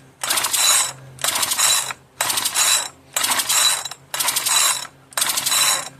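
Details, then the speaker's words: Marketplace-find two-stroke machine that earlier ran rough and died, given extra lubrication: repeated ratcheting pull-cord pulls about once a second, and it never catches. The owner judges it parts-only. Cranks but won't start; cause unknown. "I don't think I'm going to get any fire out of this one. I think this one is strictly for parts, and barely that."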